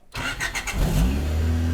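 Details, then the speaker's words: Honda Del Sol project car, off the road for years, first start after fuel pump fix and before turbo install: brief cranking, catches cleanly and settles into a smooth steady idle, running great after several minutes; normal start. "okay so she's been idling for a few minutes now and she's running great"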